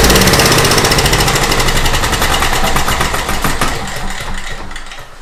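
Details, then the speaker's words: Small Craftsman portable generator, long sitting, previously over-revving, after readjusting governor slightly out of whack: steady even beat at constant speed, no hunting or surging, fading at end; normal running. "Perfect. I am very happy with that. That's exactly how I want it to run."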